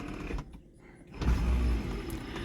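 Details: LS-swapped 1979 Pontiac Trans Am with added factory power windows: steady low electric motor hum as the window runs smoothly, with no grinding or clicking.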